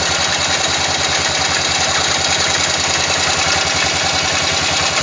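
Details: Yamaha XT 500 single idling about three beats a second with odd extra mechanical noise over it, despite valve clearance checked and ignition set and strobe-verified; abnormal engine noise, cause unclear.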